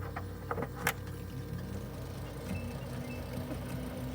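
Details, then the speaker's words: GE French-door refrigerator evaporator fan, found stuck with a warm fresh-food section and working freezer, now cleaned and spinning freely: steady, even low hum at full speed under handling clicks; fan is healthy. "can hear that hum really uh really nice it's going full bore no problems at all"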